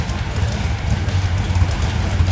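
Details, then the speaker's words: Engine on FiTech fuel injection with the air-fuel ratio set back to 13.6 from a richer setting that smoked and labored. A deep, steady idle with an even low rumble, RPM up slightly, no stumbles or hunting. The idle is smoothed out. "So now if we jump ourselves back to 13.6, which is kind of a clean spot, the RPMs come up a little bit and our idle is smoothed out. So that's a good representation of what certain air fuel ratios like."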